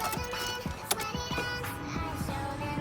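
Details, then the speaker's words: 1996 Volkswagen Jetta GL MK3, 4-speed automatic: a tinny electronic tune plays in quick repeating notes with no door action; the door chime sounds at random, possibly from an intermittent electrical fault, and pulling the relay stops it. "supposed to make a noise what is that noise you say gee la Cucaracha the door chime it goes up when it wants to it's super annoying"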